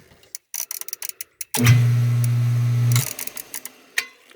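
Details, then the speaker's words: Pool pump that wasn't starting, after replacing a hardened gasket, powered up: steady low motor hum for about 1.5 s. Sounds different from how it sounded last year, cause unknown. "put some water in there see if it'll pump doesn't sound quite like i remember it sounded from last year okay we'll check back"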